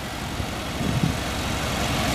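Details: 1989 Chevrolet Caprice Brougham LS: steady, even low rumble with no misses, knocks or squeals; smooth, healthy idle.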